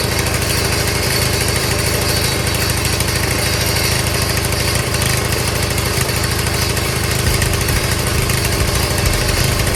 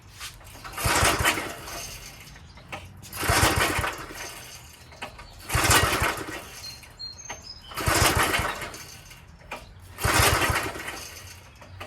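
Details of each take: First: Old Craftsman small single-cylinder engine, started after a little priming; pops along at a steady even beat with no stumbling, running fine. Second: Old Craftsman tiller, small single-cylinder engine on choke, rope pulls about every two seconds turn it over but it never fires; no start because the carb bowl below, fed by a long pickup straw, has no gas.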